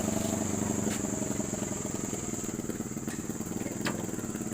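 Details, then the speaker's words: Hero Passion Pro bike that ran out of petrol, was refilled with at least 1 litre and would not start until an air lock in the fuel feed was cleared: it now ticks over with a quick even putter that settles slightly, running normally. "इतना कुछ करने के बाद bike start हो गई। इसी तरीके से आप भी स्टार्ट कर सकते हैं।"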